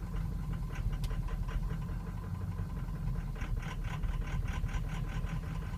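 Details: 2003 Ford Excursion 6.0L Powerstroke diesel, suddenly running poorly over two days: deep, uneven, lumpy idle with irregular stumbles between firing pulses; rough idle worsens when warm, may stall, hard hot restarts, starts well cold; cause unknown.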